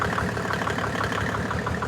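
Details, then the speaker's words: Mercedes OM606 diesel, long-stored engine, just fitted with a calibrated 7.7 mm injection pump, hard start: rapid machine-gun-like knocking, about ten raps a second, over an uneven idle; misfire from a sticking injector. "now this is that noise that you've just heard that I'm glad that's happened actually that is a sticking injector"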